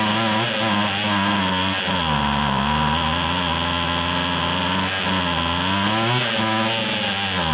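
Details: Free restored two-stroke weed trimmer, reversed fuel hoses corrected so it pumps gas; buzzy note holds steady high speed, dipping and picking back up cleanly with no misfire, running properly.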